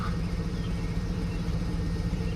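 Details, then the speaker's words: AWD Cadillac Escalade first start after reinstalling the 4L60 transmission: the V8 idles with a steady, deep, even rumble and no knocks or misses, and sounds healthy. The owner notes a possible small exhaust leak, a loud exhaust and some smoke, likely residual fluid on the exhaust. "that sounds healthy. Cool."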